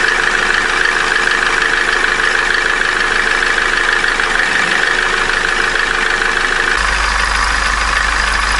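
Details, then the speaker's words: Opel Corsa D with the 1.4 A14XER engine, 65,000 km, codes P0011/P0014, at cold idle: fast even metallic rattle about three per second over a steady whistle. The timing chain knocks until warm, and the whistle is a tensioner-roller bearing needing replacement. "в общем вот этот стук он исходит от цепочки пока автомобиль не прогреется"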